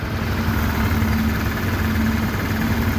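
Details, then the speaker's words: Honda Click 150 idling, noisy engine diagnosed by the mechanic as a connecting rod problem: cylinder head quiet, dull knocking from the middle of the engine over a rough, uneven idle; worn connecting rod. "Ang problema, maingay yung makina. So ang ano namin dito, ang diagnose ko rito, connecting rod ang problema niya."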